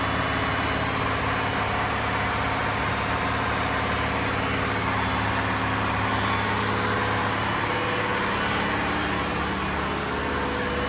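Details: Diesel fire sprinkler pump on weekly half-hour test run, isolation valve closed, system on test; steady even drone with no knocks, misses or surging, normal running.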